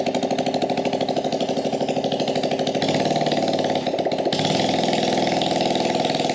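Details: Small carbureted engine on a gas Power Wheel build, started with brake cleaner, no air filter or muffler: uneven popping about two and a half beats a second, surging and stumbling; owner suspects it is running lean.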